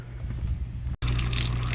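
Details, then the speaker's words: Shurflo RV/camper fresh water pump after repairing its built-in check valve plunger: pump runs with a steady low hum and rushing water, even and constant; normal running, no more dripping. "all right so that's running on the pump repair for you instead of buying a new pump or putting a check valve in line"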